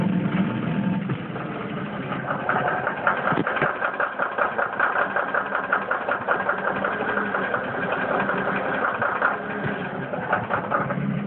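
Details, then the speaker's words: 1999 Ford Mustang V6, warm, idling in drive: steady rough knock about two to three per second, gone in neutral, only after warm-up, rpm drops in gear; oil never changed; owner suspects transmission, unconfirmed. "okay I'm sure you hear that that's pretty outrageous"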